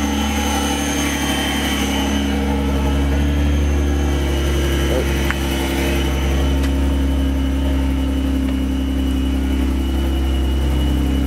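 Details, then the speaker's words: Subaru Tribeca 3.0 H6 boxer with new water-cooled VLC supercharger kit on original drive belt, custom exhaust both sides: deep loud steady cold idle rumble, faint supercharger whistle from not-yet-worn-in bearings; engine fine, loud exhaust, quieter when warm as cold mixture runs rich. "as you hear the exhaust also makes a lot of noise it's uh completely custom it's r a"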